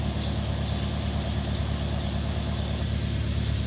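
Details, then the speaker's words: Mercedes W123 (S123 estate) idling just after first start in nearly three years, low fuel; steady, even low idle with no misses, knocks or hunting; normal idle. "look at that don't sound bad at all does it three years I'm well pleased with that"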